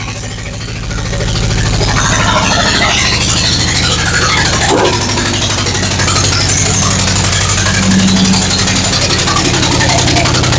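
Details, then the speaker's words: 1998 Vortec 5.7 350 V8 swapped into a 1970 Chevy C10 with 700r4, idling with one spark plug left out: loud raspy uneven chuffing like an exhaust leak, running on seven cylinders; smooth once plug installed. "All right, that sounds like a pretty aggressive uh exhaust leak. No, it's just the engine not running on all eight cylinders when a hole essentially in it."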